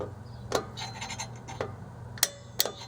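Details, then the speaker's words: 2011 Toyota Yaris drum brake reassembly: four crisp separate clicks as the self-adjuster turns, ratchet catching properly, showing it is assembled correctly. "so you'll know you have it right if when you go to adjust this thing you hear the clicking of that of that rattan piece back here if it's doing this job"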